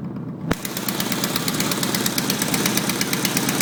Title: Idle with exhaust leak on downpipe